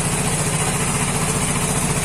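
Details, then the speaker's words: Vespa Matic scooter after its no-start was fixed, charging at 14.6 V, idling with the headlight on: steady, even low putter with no hunting or misses; headlight bright and stable. Normal idle. "nyalanya stabil ya alhamdulillah wah ini udah berhasil Oke Semua normal seperti biasa ya"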